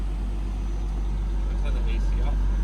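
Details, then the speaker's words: 1996 Jaguar XJS Celebration Edition six-cylinder AJ16, after cleaning the idle air valve and replacing its seal to cure a high idle: low, steady, even idle at about 800 RPM, down from the usual 1100, with no hunting or surging. "wow definitely runs different it's already a lower idle we are at about 800 RPM where normally we would be at about 1100 right now"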